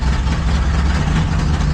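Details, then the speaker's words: Rough, uneven low idle on a truck engine after fitting a brand-new ignition coil, beat lurching and dipping; owner suspects timing or ignition circuit fault and a cylinder not firing, running it to throw a misfire code. "So, she really does want to crank, but something is off either in timing or in the ignition circuit. So, let's see if we can get her to run to throw a code again. See how rough she's running?"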